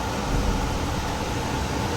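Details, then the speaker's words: Goodman furnace fired by jumping thermostat R to W; the blower starts after a warm-up delay once flame is sensed. Steady, even rush of air over a low hum, no rattles or squeals; normal furnace running after the fix. "That's why it takes a little while for the blower motor to kick. Now it's on and we are all set, guys."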